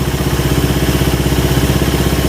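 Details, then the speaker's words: Suzuki Satria FU 150 test-start after camshaft and timing gear installation: smooth, even idle with no top-end ticking or rattle; valve train sounds normal and very quiet after the cam install. "Oke Bang untuk suaranya Alhamdulillah ya kalau untuk suara ini udah senyap banget"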